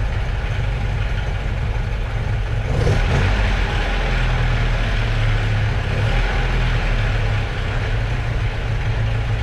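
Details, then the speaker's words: 1978 Alfa Romeo GTV, idling before the garage door is opened, after a new water pump, hoses, torn intake manifold rubber spacers, a motor mount and front exhaust were replaced: steady, smooth low-rumbling idle with one brief blip, no hunting, healthy. "So before we open up the garage door, let's just listen to it idle."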